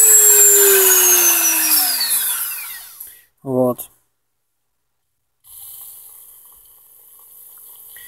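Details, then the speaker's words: Dremel 3000, five days old. A piercing high whistle at maximum speed glides down as it spins down. The whistle was absent for the first two days; the shaft also shows slight wobble. "тоже уже был слышен такой пронзительный свист которого изначально не было изначально это в первые два дня после покупки"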